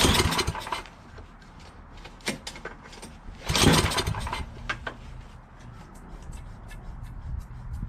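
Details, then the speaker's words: Yardman 8.5 hp 26-inch two-stage snowblower, reassembled from parts, good oil, gas in tank, throttle part missing; several recoil pulls give brief rasping bursts with no firing, spark later heard clicking: cranks but no start. "Alright, well, it doesn't start. Just try pulling it a few times and it won't start."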